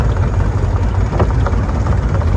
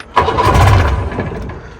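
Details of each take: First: Mercury 90 two-stroke outboard under way after cold no-start fix, carburetor air-fuel screws set richer at 2 turns out: steady deep drone, even, no misses or surging; normal running. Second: Mercury 90 two-stroke outboard, first cold start after repairs, primer ball pumped: short crank bursts into a few rough firing beats then fades without catching; hard cold start.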